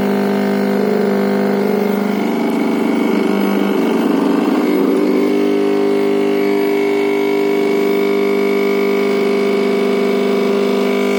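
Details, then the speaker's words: MakerBot 3D printer starting to move after finishing heat-up: loud droning buzz with shifting tones and a rough patch midway, far louder than normal stepper motion; printer misbehaving, cause unknown. "它加热完了就发出可怕的声音，你要有心理准备。"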